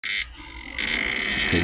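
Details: Raspy, croaking buzz in short bursts from behind the dash in the heater area on startup, engine quiet; failing blend door actuator.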